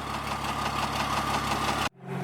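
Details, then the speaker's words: 4th gen Dually diesel truck just revived, warm: faint steady ticking knock under idle before shutoff; no blow-by, drives fine; owner suspects a lifter or bent pushrod, or valve lash. "like it almost sounds like one of the like a lifter or maybe a push rod is bent"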